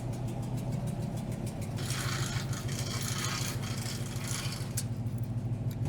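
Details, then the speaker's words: 1972 Suburban with LT1 V8, first run after sitting 40+ years with new headers, oil pressure just over 50 psi; quick light ticking over the idle rumble, lifter tap on both sides, cause unknown. "got some lifter tap going on little over 50 PS ofis on the oil pressure got some pretty good lifter tap going on"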